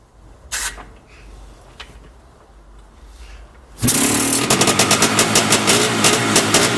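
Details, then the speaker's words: Yamaha IT490 two-stroke first start after engine reinstall, new flywheel and kickstart case repair, temporary silencer fitted: fires instantly into a crisp, even ring-ding idle at about three pops a second; normal, healthy idle. "my neighbors hate me enough as it is anyways we're fired up it's good enough for now while i'm waiting for proper parts to come"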